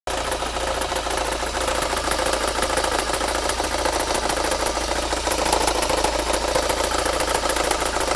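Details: VW GTI 1.8T running: light regular ticking about twice a second over engine noise. Bad alternator suspected, not confirmed.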